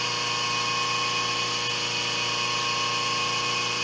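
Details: 5 HP inverter-rated three-phase idler motor on a 5 HP rotary phase converter, idling unloaded on the bench, about 7 A and 8 A on two legs: steady smooth hum with even high-pitched whine, running efficiently and normally.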